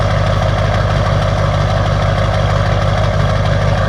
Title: Lb7 Duramax diesel cold start bad Injectors